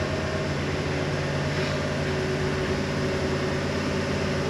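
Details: Freshly built big-block Chevy V8 on an engine dyno: even, steady running with a smooth hum and no top-end ticking; valvetrain sounds healthy.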